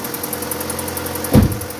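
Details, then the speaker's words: Opel Astra G coupé Bertone just after throttle body cleaning and intake refit (intake gasket still to do), started first try; steady idle with a faint quick light tick. Owner suspects a lifter needing to pump up. "après, il y a ce petit cliquetis là. Regarde, attends. Merci mon petit. Non, pas un petit cliquetis là. On dirait un poussoir qu'il faut que ça monte."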